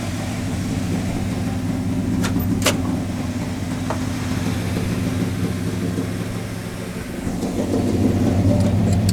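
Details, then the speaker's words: 1985 Chevrolet Monte Carlo SS 350 V8, unstarted for over a month after a flood, idling to warm up to operating temperature, with smoke from a suspected leaking valve cover gasket. A steady, even low rumble with no knocks or misses; it sounds healthy. "this car hasn't been on in over a month and it just went through a flood so I'm going to let it get all the way up to operating temperature before I go yipping on it putting a load on it trying to drive it all that good stuff"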